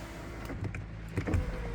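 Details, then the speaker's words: 2012 Peugeot 308 Active, engine not running: electric window motor gives a steady low hum with a faint rising whirr as the glass travels, no grinding or stalling; windows work. "Right, cool. All the windows work, kind of."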